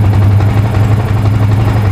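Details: Yamaha Vixion (new): steady, even low thrum with no misses or stumbles; idles smoothly while charging reads about 14.2 V, up from 12.7 V; battery found to be the fault.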